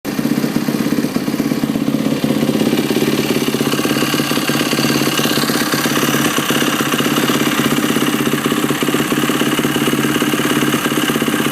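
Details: Yamaha YZ450F: fast, fairly regular mechanical clatter over a loud idling single; something is rattling inside the engine, source not pinned down.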